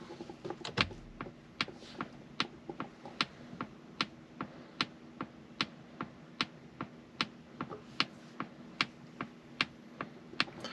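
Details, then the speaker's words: Polestar 2 cabin: crisp, even turn-signal tick about seventy-five times a minute over a quiet interior; the car's distinctive but normal blinker sound. "All right, so let's listen to the infamous blinker noise."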